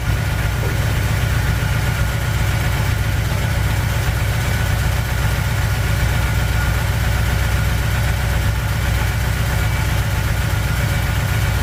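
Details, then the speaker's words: 1959 Chevy El Camino V8, first start after repairs, cold, water temp just rising, good oil pressure: steady, even idle with faint rhythmic tapping, no misfire, getting better. "And that noise I heard was more in this area, and it's actually getting uh better. It's not as bad."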